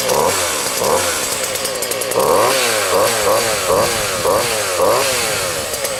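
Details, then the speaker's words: Husqvarna 40 chainsaw after carburetor (Walbro) cleaning fixed bogging when given gas: two-stroke snaps cleanly to high revs and drops back repeatedly, no bogging or stumble, running better than ever. "so I started this thing up and actually runs better than it ever has before it's really good saw but we're gonna stir it up and show you guys how how she runs now"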